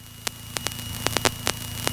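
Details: PA28 after takeoff from Oxford (EGTK): steady hiss with a thin fixed tone broken by sharp irregular crackles; static from the passenger mic worsening with RPM, nearly drowning ATC, suspected loose connection; radio issue later figured out.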